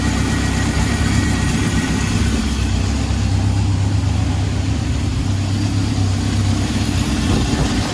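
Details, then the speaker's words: 1971 Honda CB750 K1, about 18,000 miles, after carb synchronisation and clutch work, started with no choke: smooth, even low idle with a steady beat and no misses or stumbles. Normal idle. "I forgot to mention on that second clip that that was a start without any choke I didn't use any choke or anything on that to start it up so that was a really good test in my opinion"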